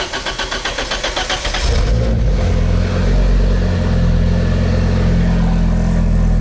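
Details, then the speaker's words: First start of a fully restored Audi S4 five-cylinder with fluids filled, default firmware and a Bosch 044 fuel pump: quick cranking, then it fires and settles into a soft, even idle with no knocking; normal start and idle. "первый запуск да он каждый раз как первый"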